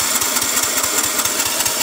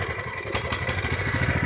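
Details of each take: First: Husqvarna 122C string trimmer bought as a return that would only start on choke and die; rapid, ragged, wet popping as the aftermarket carburetor floods it, white smoke and unburnt-fuel smell with choke off; rich running from carburetor flooding. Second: Small single-cylinder engine runs smooth and steady with the fuel shut off, but it sputters and runs terrible when the fuel is turned back on. The carburetor, which has no mixture screw, is to be replaced.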